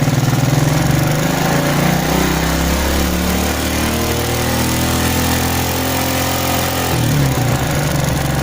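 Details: Smash motorcycle with stuttering and high fuel use: idle stumbles and sags, then climbs and shifts as the carburetor air screw is opened from fully closed to find the highest idle, typically about one turn out.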